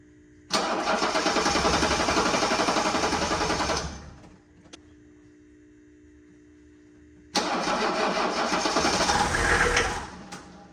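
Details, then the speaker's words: 1984 Mercedes-Benz 300SD diesel being revived: fuel bled to the injectors, glow plugs possibly working, some compression, battery on charge. First start catches and runs rough about three seconds, dies, refires briefly, then fades. Starts then stalls. "seconds, and then immediately quit. So that's weird."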